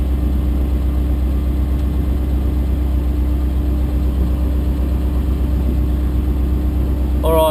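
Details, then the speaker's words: Chrysler Valiant VJ, sat 25 years, cranking after fitting a bigger earth lead from a Falcon and cleaning it up: starter spins the engine briskly and evenly with a steady low churn, no dragging; healthy cranking speed, really good crank now. "this hopefully this new earth works and we can we can get this going oh yeah come on seems to be cranking better"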